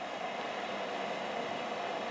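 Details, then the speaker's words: Vetерок-2 (Spektr-Pribor ESOF-0.6/220) food dehydrator running on cold air with heating element off: steady, even airy whoosh with faint midrange hum, no knocks or rattles; normal, fairly loud fan noise. "она издает звук достаточно громкий, как обычный вентилятор жужжит и слышно, что она работает, но при этом нагревательный элемент выключен."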